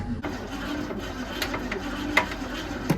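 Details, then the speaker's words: 1966 Ford Mustang that sat 16 years, first cranking in neutral: uneven cranking whirr with sharp metallic clanks roughly every second; clanging inside the engine, cause unknown; owner plans to pull the fuel line and check the points first. "Oh, we do get action in neutral, but we've got some clanging around in the motor, it sounds like. That doesn't sound great."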